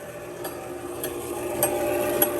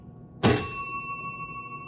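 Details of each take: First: that's this thing running but obviously it's not resetting properly because it's not hitting any of the switches Second: 1948 Chicago Coin Catalina electro-mechanical pinball machine under restoration: one clean strike, then a bright ring fading evenly over about 1.5 s from the bell under the playfield when the target scoring 10,000 is hit; bell working normally.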